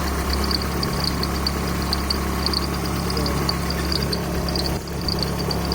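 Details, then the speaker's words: Idling engine with new 6-rib alternator belt: high sharp uneven chirps; no squeak when first started after tightening, then squeaks as it runs with the belt visibly bouncing; not fixed. "So when I tighten it, when I first start the car, it don't be squeaking at all. Then as the car runs, it starts to squeak."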